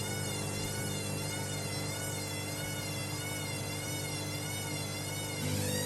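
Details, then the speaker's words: Hoover Link Whites 90 Aqua Plus washer, heavy full load of wet shed rags and sheets, first 400 rpm interim spin: steady drone with wavering whine swelling near the end, bearings barely audible; very unbalanced load, spin aborted. "Nah, that's a spin cancelled. Lovely. I'll probably do that for all the spins."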